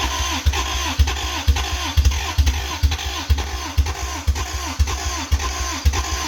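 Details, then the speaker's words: 1985 Toyota MR2, 4A-GE 16V, long sitting, jumper-wire start; uneven chuffing pulses about twice a second, catches on spray then fails to idle and stalls; cause unconfirmed. "it won't stay on but it but it it it starts that's so cool"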